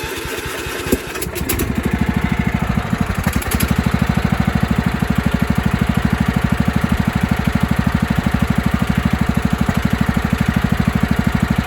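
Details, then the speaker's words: 1997 Craftsman mower, 16 hp Kohler Command single-cylinder, after carb-spray test showing it runs rich: starts and runs steadily and evenly; owner wonders whether a hissing sound, mainly at shutoff, is a head gasket leak or the exhaust. "it runs fine I wonder if it has a head gasket leak because you hear it really sounds like it's hissing out air especially when you kill it it does that"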